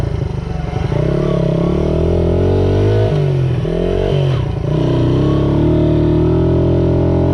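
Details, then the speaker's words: Restored 1978 Honda XR75 single, after a misset adjustment was corrected per the manual: revs cleanly while riding, crisp throttle response with no stumble or misfire; normal running. "I drove it that way for years but luckily I checked the book made the adjustment and now we're up and running"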